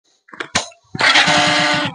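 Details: Hero Passion Pro (Splendor-type) motorcycle self-start: a couple of short clicks, then the engine catches within a second into even low pulses with no harsh starter grinding; normal electric start.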